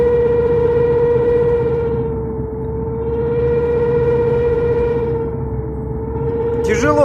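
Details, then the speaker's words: Honda RD1 with newly replaced clutch, release bearing, pressure plate and disc: steady fairly high howl at one pitch from the middle or front of the car; owner suspects the driveshaft center support bearing or pilot bearing, unconfirmed. "вот слышите какой звук идёт Да вот только поменял сцепление вот вроде как и посередине кузова значит это подшипник наверное подвесной кардана Вот"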